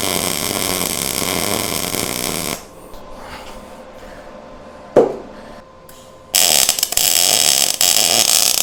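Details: MIG welding on 1:8 scale GP40 locomotive project after slowing the wire feed: steady even frying-bacon crackle with short pause between passes; sounds and looks much better.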